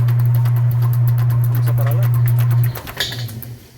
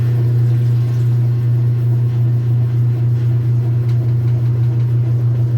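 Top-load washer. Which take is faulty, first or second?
second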